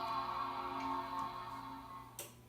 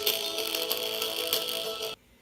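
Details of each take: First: 1998 Apple iMac G3 after fitting a new speaker: the Macintosh startup chime rings out clean and fades with no crackle or buzz, new speaker working on the first try. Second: 1998 iMac G3 internal speaker playing music: thin, tinny sound with a buzzy rattle on louder notes; the speaker foam surround has rotted away, so the cone rattles loose.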